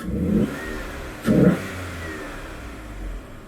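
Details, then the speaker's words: 1999 Vauxhall/Opel Vectra B GSi MSD 2.5 V6 with an aftermarket cone filter induction kit replacing the stock airbox; two quick throttle blips with a throaty intake roar settling to a smooth idle: normal induction roar on revving. "So you can really hear the induction kit on this engine."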